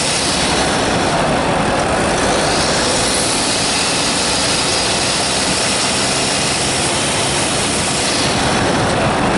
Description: Strange squealing noise from my turbo Insignia B 2.0 Diesel cdti 170 68 plate.